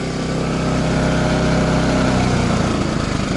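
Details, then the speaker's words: Champion 3400 W dual-fuel inverter RV generator heard from a distance, exhaust pointed away, at high under-load rpm then economy mode: steady even hum, no surging or hunting, very quiet; normal running. "economy mode it gets even quieter I think the traffic is going to be louder than that is"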